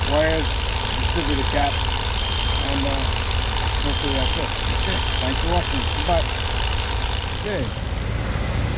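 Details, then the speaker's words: 1988 Dodge B250 Roadtrek van, 318 TBI V8, after fuel injector and temperature sensor replacement for rough running and stalling: low, even idle with no misses or stumbles, running smooth; the owner still suspects the temperature sensor. "take it for a ride working really well wearing smooth well worth doing"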